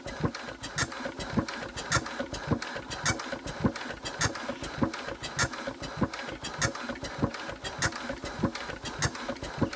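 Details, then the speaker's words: Enfield diesel while cranking: sharp injector squeaks under two a second from one injector only, the other line holds air and gives no output; engine still won't run despite high compression. "We're not getting any squeak out of this injector, so I don't think we're even getting any outlet from it."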